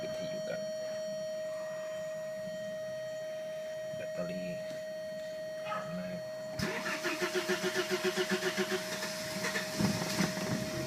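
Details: Audi UrS6 with VEMS engine management, first start of the day: slow, laboured cranking for several seconds before the engine stumbles toward life; owner plans to check the fuel pressure regulator.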